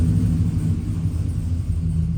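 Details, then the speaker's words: Freshly rebuilt V8 with a stage 3 cam on a stage 2 cam tune, running super rich; earlier tapping was an exhaust V-band clamp: deep, steady lumpy idle, no ticking or knocking, 40–50 psi oil pressure; healthy normal idle. "But good to go, man. Look at this. Oh, it looks good. It sounds good. Very, very nice."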